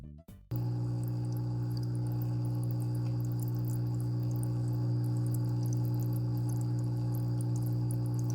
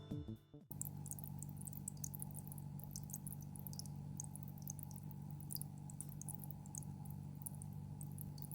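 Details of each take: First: GEX slim hang-on aquarium filter at its minimum flow setting, recorded in a near-silent room: a loud, constant low buzz at one pitch over the water sound; the motor hums noticeably. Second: GEX Slim Filter DC-X M3 hang-on aquarium filter (new model) at maximum flow: soft steady low hum with light water trickle, without the old model's deep bass hum; quiet, normal running.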